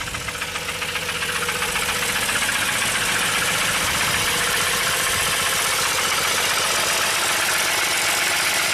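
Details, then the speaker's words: 2002 Jeep Grand Cherokee 4.0 inline six, towed-in crank no-start after rebuild: first start with pedal floored, blue smoke, uneven lumpy running with steady knocking about four a second, reluctant to rev; cause not pinned down, no cam signal. "Sounds terrible, but it runs. Amazing. Oh, there you go. Really doesn't want to rev up."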